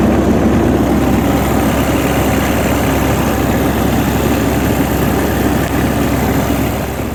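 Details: Greenmech Quad Chip wood chipper, 2012 model with 1,500 hours, diesel engine idling after yearly service and fuel-system bleeding: steady, even rumble with a smooth low beat and no knocks or misses; normal idle.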